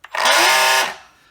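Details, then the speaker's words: Faulty Milwaukee M18 cordless sander (BOS-125), bought for spares or repair, first run on battery: short harsh, rattly, high-pitched buzz under power that dies quickly; suspected mechanical rather than electrical fault, not yet confirmed. "yeah, sounds like a mechanical issue on this rather than an electrical."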